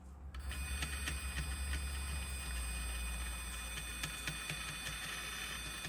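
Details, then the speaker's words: RC truck Axial 3-gear transmission with stock spur gear and slipper clutch run five-plus years: sharp clicking knocks about three per second over electric motor drone, like a rod knock; worn spur gear and slipper suspected, to be replaced by a slipper eliminator. "the spar gear that's in the truck I had been running for five years plus and it sounds like it's got a rod knock"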